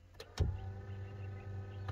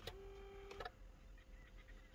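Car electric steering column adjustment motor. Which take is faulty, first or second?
second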